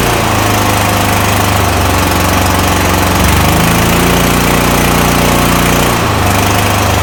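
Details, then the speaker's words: Toro Titan MX5400 zero-turn mower with a Kohler Confidant 23 hp V-twin; bogs down badly under load, runs rough and sounds weak, an uneven stumbling beat from one cylinder misfiring; not fuel-related, as a slight choke test shows. "This thing bogs down under a load real bad. It runs rough and overall it sounds very weak."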